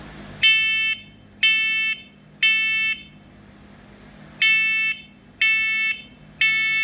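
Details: Kidde voice-alert smoke and carbon monoxide detector with a 10-year battery, on a home self-test: loud, clean three-beep pattern, pause, three more; the unit passed and works normally.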